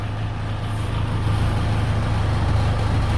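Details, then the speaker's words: Car idling with a light, uneven tinny rattle from a loose exhaust heat shield plate underneath; an earlier fix bending it with metal failed, so welding it is planned. "it's underneath it's the exhaust plate I want to show you where it's where I live from"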